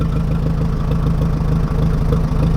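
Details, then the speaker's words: 1961 Oliver 550 tractor with a Marvel Schebler carburetor, running again after carb work: a steady, fairly quick, even thumping idle with no misses. The owner thinks idle should be about 400 rpm and suspects it is set too high, perhaps lean or with timing off. "see if I've got an idle too high I think these are supposed to be like 400"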